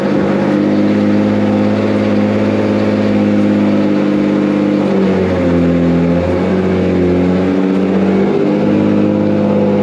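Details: Boosted Nissan Z after fitting a new wiring harness: steady idle with a couple of small pitch swings that settle back down; idles evenly, better than before.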